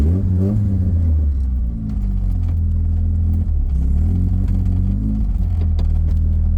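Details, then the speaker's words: 1984 Dodge Omni GLH on a road test after fuel system work meant to cure lean knock: engine pulls smoothly to almost 6000 rpm with pitch climbing evenly, no pinging or rattle under load; lean knock appears gone. "I did not hear the uh the lean knock that I've been hearing in the past when I get on it. And I was actually able to actually able to take it all the way up to almost six grand. It sounded good."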